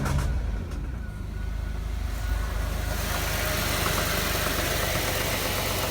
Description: 2006 jaguar xtype 3.0 v6 engine knocking tapping noise under acceleration